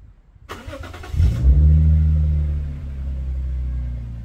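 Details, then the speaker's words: Lexus IS200 with rear muffler removed, mic near the car: engine fires and flares, then drops to a deep, booming low drone with little hiss; louder, throatier exhaust from the missing rear silencer. "i have to tell you that the sound is really nice it's such a nice low tone it's not that much strong although it is a bit noisy"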